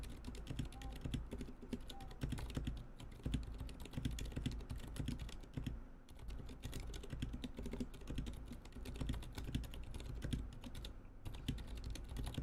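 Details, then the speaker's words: NK65 keyboard with unlubricated Zilent switches before lubing: fast irregular typing with dull, gritty keystrokes and rough bottom-out; scratchy, unlubricated switches. "Yes, so as you hear, it is terribly scratchy, as you can hear. Yeah, and it's not great."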